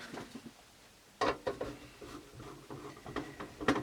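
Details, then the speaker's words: Philips BEP2700 Blu-ray player won't eject: on power-up the loading motor whirs briefly with a few clunks, then stops and the tray never comes out; worn, slipping loading belt, fixed by fitting a new belt. "And yeah, I can hear the motor going and makes a bit of a clunk noise and stops."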